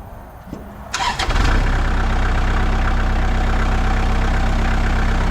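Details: 2002 Kubota MX5000 DT tractor, about 960 hours, after a new hydraulic filter cured a squealing pump and dead, jerking hydraulics: engine fires and settles into a steady, even beat with no squeal or whine; hydraulics work normally.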